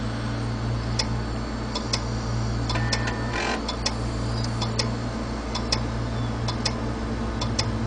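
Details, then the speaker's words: 80 GB Western Digital hard drive powered up: sharp, regular clicks over a steady low hum, spinning down and back up between click runs; tests confirm a bad set of read/write heads. "you hear that steady clicking and what these drives will typically do is they'll power down spin down just a little bit after a few clicks and then spin back up and start clicking again"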